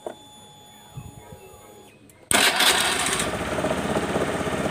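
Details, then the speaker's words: Honda Beat FI scooter, after reinstalling the starter relay, started from the handlebar starter button: quiet, then the engine catches instantly and settles into a steady run; normal start. "Tuh, motor langsung bisa hidup."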